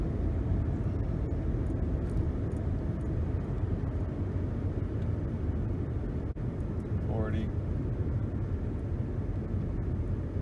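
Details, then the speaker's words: 2011 Nissan Rogue after wheel hub replacement, coasting down to about 30 mph: steady low road rumble with no hum, growl or whine and no vibration; bearing noise fixed. "I do not feel any vibration in the pedal or in the steering wheel. I don't really hear a hum or a sound like I'm in a jet plane or a buzz."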